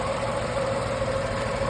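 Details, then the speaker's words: 8-year-old Tata Tiago, Revotron three-cylinder, 137,316 on the clock, engine bay: steady even idle with slight buzzing vibration, normal for a three-cylinder, faint constant tone, no knocks; normal idle. "ये देखो ये vibrate कर रहा है। ये करता ही है क्योंकि थ्री सिलेंडर है ना"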